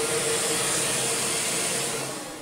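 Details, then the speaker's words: Shark vacuum from a free joblot, head worn out and kept for spares: smooth, even high-pitched whoosh holding steady, then tailing off as the switch is released; the suction motor works and runs healthily. "so i think this head is good for spares and it has a working motor that's going to be as good as we need and it runs as well we have a working suction motor too"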